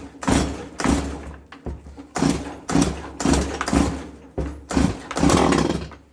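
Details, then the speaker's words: Two-stroke garden machine pull-started on choke with throttle locked: repeated pulls each give a short sputtering pop as it briefly catches then dies, showing fuel has reached the cylinder; choke must then be switched off. "attempt to start we have to allow the air to go to the disconnected position. It is still partially accelerated but the air which is the choke lock is removed and we see that once the machine tries to start the choke It must always be eliminated"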